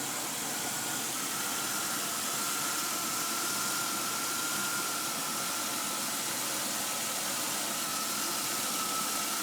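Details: 2002 Chevy Impala (not SS) that made a loud noise and then would not move in any gear: engine runs with a steady high-pitched whine over a loud hiss; automatic transmission failed, cause unknown, some oil leakage seen.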